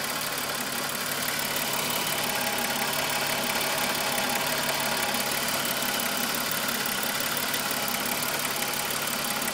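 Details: VW Golf VR6 2.9, 103,000 km, idle: constant, fairly even metallic rustling rattle over the engine hum. Chain-rub noise grew louder after the upper hydraulic tensioner screw was replaced; timing chain suspected, not confirmed.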